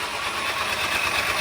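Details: 2010 VW Passat 2.0 TSI turbo, 95,000 miles, cranking with no start: even, smooth, fast cranking like an electric motor, no compression pulses; suspected failed timing chain tensioner, possibly bent valves.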